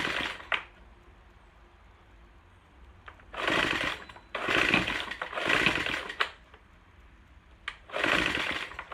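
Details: Troy-Bilt TB4HB EC leaf blower, unstarted 4–5 years, full choke, primed: surges in uneven bursts about once a second, falling back to a stumbling idle between. Breather loaded with oil via crankcase overflow tube; compression leaking past piston rings.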